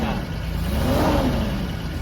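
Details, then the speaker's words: Toyota Land Cruiser FJ62, automatic, after fresh gas, new battery and a mechanic's inspection: engine climbs smoothly and evenly under throttle on the first real drive, no knocks or rattles, quiet with much better response; normal acceleration. "It sounds healthy and the response is much better!"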